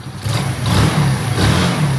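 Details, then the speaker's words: Lifan 110 engine freshly installed in a Honda C90, carb idle mixture screw set starting from a full turn out: the small single picks up cleanly on throttle blips and settles back without stumbling; charging well; normal idle and revs. "Sounding nice. Charging lovely. What? The charging lovely."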